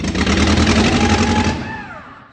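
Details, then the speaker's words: VW Corrado, freshly rebuilt engine first start after swap, no exhaust fitted, one vacuum hose had been disconnected: loud raw open-pipe roar with uneven lumpy beat, then dies; runs rough even with the hose reconnected. "Keď sme ho skúšali štartovať, tak to nešlo úplne podľa našich predstáv. >> Nakoniec [smrkanie] nebola zapojená jedna hadica na podtlak, ale aj s ňou to nebolo ktovie čo bez výfuku."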